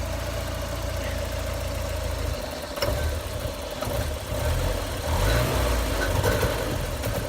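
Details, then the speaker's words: 1988 Porsche 944 with new fuel pressure regulator and DME temperature sensor after no-start issues; rough idle sags and nearly stalls on a quick throttle blip. Owner suspects air flow meter or throttle position sensor, unconfirmed. "if I do a quick throttle oh Jesus wants to shut off"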